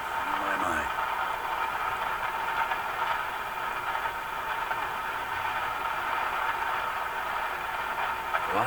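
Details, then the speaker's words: Steady rushing hiss with faint buzz from the speaker of a Sparton Model 67 vacuum tube radio, recapped with all paper caps replaced, during alignment; noise judged to be in the audio amplifier or power supply, cause unconfirmed. "so this this noise is now coming in the amplifier section the radio the audio or they could be in the power supply"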